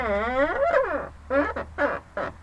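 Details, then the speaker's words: BMW 530 E39 door check strap: loud wavering creak, a long groan then four short squawks as the door moves, worse in hot weather; owner says hinges aren't the cause, suspects the plastic part; spraying lubricant barely helped. "бешеный скрип причем скриптом жаркую погоду [ __ ] вот я знаю что сделать причем это не шарниры скрипят они все-таки а вот этот вот пластмасса"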